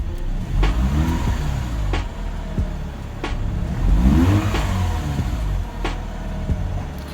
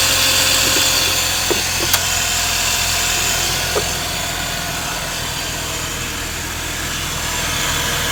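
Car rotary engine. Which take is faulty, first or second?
second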